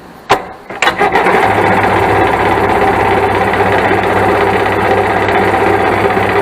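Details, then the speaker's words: Yard-sale 1996 Sea-Doo SPX 717 two-stroke jet ski, jump-started on lawnmower battery: starter churns evenly for several seconds but never fires; cranks without starting, owner suspects it needs fuel sprayed into breather. "no go see maybe we need to climb it if someone has put a hole in the top of the breather right there make it a little bit more easier to spray into"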